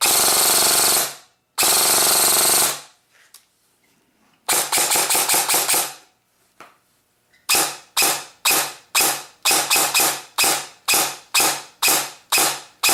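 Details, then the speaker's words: Airsoft gun gearbox, dry-firing test after fixing the motor pinion: short bursts of rapid harsh, rattly cycling; off-centre gear bushing, bearing needs replacing to sound better; motor height low but amperage efficient. "however it doesn't sound one of the best at all i'd have to change out the bearing in that gear to go more for a quite better sound"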